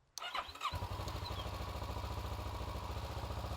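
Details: 2012 Kawasaki Ninja 650 in neutral with the kickstand down, during a no-start starter solenoid check: after the button press, the starter spins the engine with a quick, even, steady chug; the solenoid is getting power and cranking is normal.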